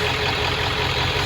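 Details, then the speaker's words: 1996 Ford F-250 4x4, 7.3 Power Stroke diesel, idling just after an oil change; even, steady diesel clatter with no knocks or misses, oil pressure took about a minute to come up as usual after oil changes; normal idle. "all right so we fired it back up sounds good took a minute for the oil pressure to come up it always does right after oil change about a minute"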